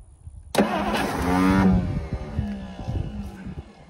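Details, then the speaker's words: 1963 Studebaker Lark Wagonaire parked 39 years, solenoid connection was burnt and corroded and just cleaned: starter whirs hard about a second then spins down without turning the engine; faulty starter drive. "yeah that starter Drive is problematic"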